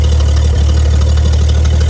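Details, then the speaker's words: Bagged 1955 Chevy V8 being resurrected, now running off the tank with fuel pulled through the filter after carb priming, known overheating issue: deep, steady idle with even low rumble, no misses, knocks or ticks; normal idle. "Running off the tank now. At least I got a little bit of a win."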